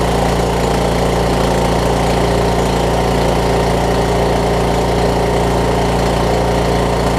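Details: Craftsman T2200 riding mower, 5-6 years old, 19 hp Briggs & Stratton, after cleaning gel-gummed Nikki carburetor that caused surging: smooth, even idle with no hunting or surging; normal idle.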